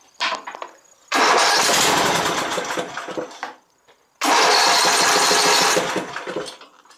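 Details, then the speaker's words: Exmark Viking mower engine after reinstalling forgotten fuel pump pulse line so carburetor gets fuel: catches and runs a couple of seconds on two attempts, sounding healthy; normal start. "awesome all right well i got the oil drain on this thing ran pretty good and really well"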